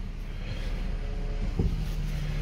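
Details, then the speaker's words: Power steering after Sea Foam Trans Tune added and flushed on a high-mileage vehicle: steady low engine hum while turning, no whine or squeal from the pump; before, steering jerked, squealed and was hard to turn. "so this is you can see it's super easy to turn before it was jerking and squealing and not wanting to turn now there's pretty much no noise and it's turning just fine"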